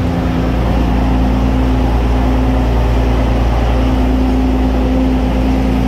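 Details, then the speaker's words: Restored Centurion tank main engine start, not on original fuel tanks, oil pressure good and climbing: steady, deep multi-cylinder rumble at an even fast idle, with no knocks or misses; running cleanly and healthy. "brilliant there we go so that is that was the main engine in all of its Glory sounding awesome and perfect"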